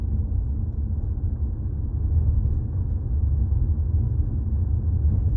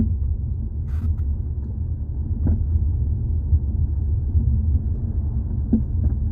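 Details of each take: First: 2018 Jeep Compass after replacing a front sway bar link, driving with the microphone near the floor: only steady low road rumble, no clunks or rattles underneath; the clunk over bumps is fixed. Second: 2018 Jeep Compass, microphone underneath near the floor while driving: sharp clunks in short bursts over bumps above low road rumble, most likely from worn front sway bar links (plastic with metal joints).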